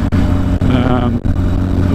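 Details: Yamaha XS1100 cafe racer after fitting a big bore kit and performance head and setting valve clearances, engine warmed up during break-in: steady, even low burble with clean firing and no knocks, ticks or rattles; sounds healthy.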